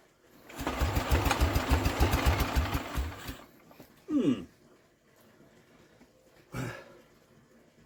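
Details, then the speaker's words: Scrap-yard Norman engine, carb cleaned, spark believed good, choke toggled: about three seconds of steady cranking thumps that never catch. Owner suspects flooding and plans to check the plug for wetness. Cranks but will not start. "we should take a plug out and see if that's got wet I'm pretty sure we've got a good spark or I'm doing something all wrong here"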